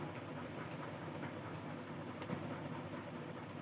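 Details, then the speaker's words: Cooler fan motor with corroded aluminium winding wires: a faint, steady low hum with no strong spin-up because the run capacitor has failed and shows no value on test; the capacitor was replaced. "इस capacitor से बहुत धीमी सी आवाज आ रही है। Capacitor खराब है।"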